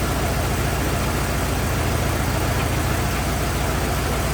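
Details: 1927 Ford TT truck, on battery ignition, choked after restart; steady, even low rumble, no misses, knocks or buzzing; oil leak, owner suspects loose hogshead inspection cover; good runner, normal idle.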